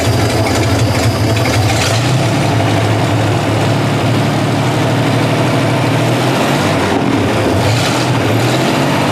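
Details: 1960 GMC V12, points ignition, idling after the miss was fixed by tightening a loose spark plug: deep, even idle with a steady low rumble and no skips or stumbles; running smoothly on all cylinders.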